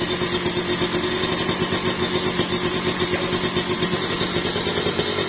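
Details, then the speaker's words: Kawasaki Ninja two-stroke with newly installed bored-out (OB) cylinder block, running while radiator is filled; crisp tight even crackle, no rattle or hunting, much smoother than an original non-OB block; normal idle. "udah ya tinggal hidupin halus banget nih suaranya nih tuh caranya gitu ya jadi masukin air radiator itu sambil dihidupin halus banget"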